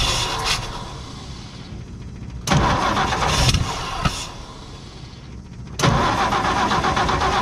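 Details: 1958 Ford F100 panel truck, plugs cleaned, carburetor cleaned, carb cleaner used to start, fresh fuel from new tank: repeated cranking catches that stumble and die, lumpy beat, cylinders dropping out; traced to faulty ignition points, later replaced.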